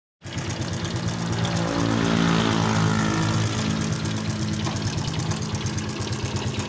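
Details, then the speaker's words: Yamaha Vega ZR small single-cylinder motorcycle running very noisily; a loud, busy metallic clatter about four times a second rides over the exhaust, and the head and magneto side are to be opened for diagnosis: cam chain rattle. "Seperti pada awal video, kita sudah mendengar dan melihat suara pada motor Pega ZR ini sangat berisik."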